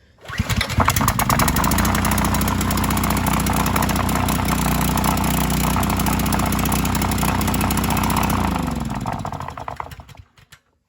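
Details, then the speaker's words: Fuel-injected Subaru 210 cc engine from a Ridgid pressure washer, used to repower a Scag edger in place of a Briggs L-head 3.5 hp, self-choking; fires quickly, steady even putter about eight seconds, no hunting or misses, normal idle. "this is a weird one because there's a fuel injector so you just turn it on and it's self choking and everything"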